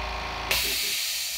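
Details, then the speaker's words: New 1 hp compressor, 8-gallon tank, first fill: motor hum stops sharply as pressure switch cuts off around 100 to 110 psi (redlined at 120), then loud hiss of unloader blowing off; normal cut-off. "yeah the overall pressure has only gotten up to a hundred normally they go up to 120 but they've got it redlined at 120"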